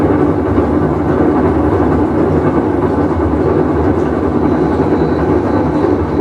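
Loud, continuous low rumble like a passing train, steady throughout the run, typical of a failed washer tub bearing.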